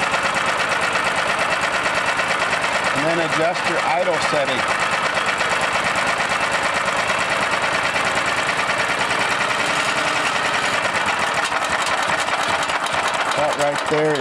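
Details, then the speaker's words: Welding generator with a new tri-fuel swap carburetor for a Honda GX390 188F, running on gasoline, restarted after idle adjustment: a steady single-cylinder run whose speed briefly rises around 3–4 seconds, then holds an even idle; normal idle. "So let's start it back up and try it again. Adjust it to where it idles the best."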